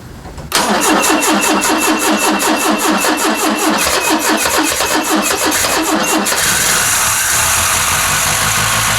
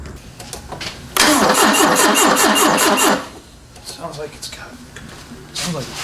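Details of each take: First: 1974 Ford Capri with the 2.0 Pinto engine, sat 15+ years: after clearing mud-wasp nests from the timing cover, it cranks evenly, catches cleanly and idles smoothly. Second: 1974 Ford Capri 2.0 Pinto, sat 15+ years, mud wasp nests in timing cover, retimed: about two seconds of fast even cranking without firing; suspected the timing jumped almost immediately, valves likely not stuck.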